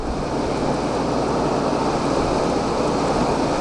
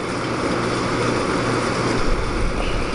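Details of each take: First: Air conditioner in local mode, compressor running: steady even rushing whoosh, no knock or rattle; still loud, and the unit cools well but drips water inside despite cleaning. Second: Small window air conditioner with LG compressor, recharged with refrigerant transferred from a Fedders unit, not run in a while, on low fan; even steady compressor and fan hum, no rattles or cycling: normal running.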